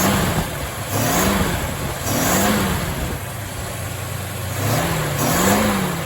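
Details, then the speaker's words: 1962 Mercury Monterey Commuter wagon after Pertronix kit, new coil, cap, rotor, plugs and wires, choke on, carb not yet tuned: engine revs and settles in smooth swells, firing cleanly; ignition healthy, choke suspected off. "Okay. So with the choke on, sounds pretty good."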